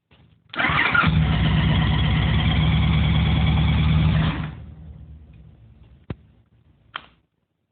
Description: runs 3 seconds,,, then turns off,,,, nice